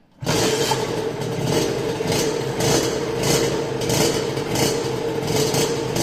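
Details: First start of a restored Rieju RV with a rebuilt engine: the two-stroke fires and runs strongly, blipped in steady throttle bursts with crisp, even pops; healthy running.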